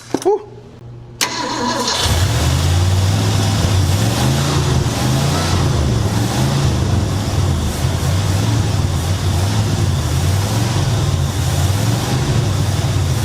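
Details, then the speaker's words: 1966 Mercury Montclair, still very cold, on a replacement Amazon carburetor with no coolant in it: cranks briefly, then settles into a low, slightly uneven, gently pulsing idle. Idle mixture screw still needs adjusting. "I think we need to mess with the mixture screw idle, but it's also still really cold."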